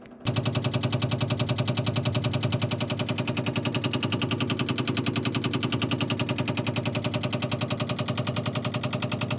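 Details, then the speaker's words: Frigidaire refrigerator, no ice maker, gives a rapid, steady knocking from the freezer section that sometimes gets louder; cause unknown. "Why does my Frigidaire refrigerator make that noise, that knocking? And it gets louder than that, too. So, it's coming from the freezer section."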